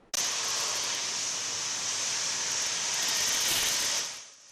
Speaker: THOSE NEIGHBORS TELL US IT SOUND LIKE A CONSTANT JET ENGINE THAT IS GOING OFF THAT HAS BEEN GOING ON SINCE FRIDAY. SOME SAY IT HAS GOTTEN LOUDER OVERTIME.